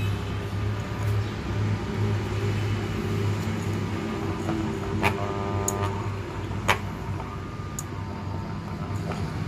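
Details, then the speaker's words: Hitachi power tool armature after commutator reconditioning, on a growler test with a blade held on it: steady low mains hum, no blade buzz or sticking that a crossed or shorted segment would cause; no shorted coil. "अगर कोई भी इसका piece यहाँ से आपस में cross होगा या शार्ट होगा तो ये जो ब्लेड है ये इसके ऊपर आवाज़ करेगा, साथ इसके चिपक जाएगा।"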